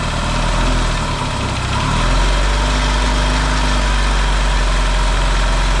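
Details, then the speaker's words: Yamaha XS650 twin, freshly reinstalled engine after oil-burning repair, first run, warmed up: steady even low idle thrum, quiet, no pinging or knocking; smoking, owner hopes it is break-in. Normal idle. "cool well it runs actually pretty good so it's quiet too no pinging or weird noises going on so that's a good sign"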